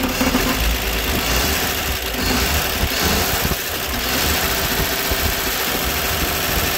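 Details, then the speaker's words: 1960 Grumman Olson Kurbside step van 235 six, first run since 1992, cold (about 30s °F) after refitting the plug wire: steady, even idle with light clatter from the unbolted valve cover, no misses or knocks; owner sees no issues. "Actually sounds pretty good now. It's pretty cold out here. It's probably in the 30s."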